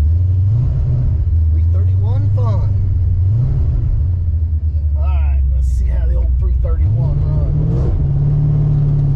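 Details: 331 stroker V8 in a GT, running after a failed brand-new part was dealt with; deep, steady rumble with a few clean rev blips, firing evenly with no misses.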